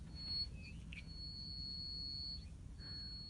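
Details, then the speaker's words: Moulded hearing aid cupped in the hands: a steady high-pitched acoustic feedback whistle that drops out briefly and returns; normal, the aid is working. "if your hearing aid is working correctly when you cup the hearing aid in your hands you should hear a whistling or"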